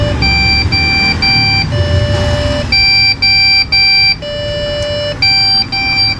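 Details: Desktop PC that won't show a display: steady high beeps in short groups of about three, repeating with no image on screen; memory fault code, RAM removed, cleaned and reseated.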